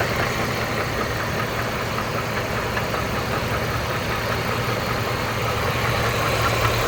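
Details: 2008 GMC Envoy, 220k miles, well-maintained oil: steady idle with a light, fairly regular knock about two and a half times a second over the engine; engine knocking at idle, source still undetermined.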